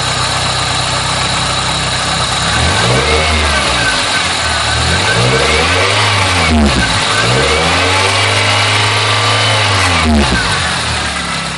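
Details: Engine revving up and down with a tinny metallic buzz riding on top: an exhaust heat shield rattling under the hood because one of its bolts broke off, heard before the fix.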